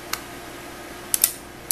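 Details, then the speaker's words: Hotpoint refrigerator with freezer cold but fridge warm: defrost timer powered up makes faint, sparse mechanical ticks in a quiet room, normal stepping of a working timer. "while it's being powered up this should make a ticking sound tick tick tick tick tick tick tick it should hear you is you you should hear that some of them are really loud"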